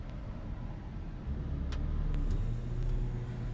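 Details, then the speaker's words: 2003 GMC Denali during brake bleeding, scan tool cycling the ABS with brake pedal held: partway through, a low steady buzzing drone kicks in and holds under background hum, pushing the pedal back; ABS pump cycling normally. "There we go, cycling the ABS and pushing my foot back. That's what I was wanting."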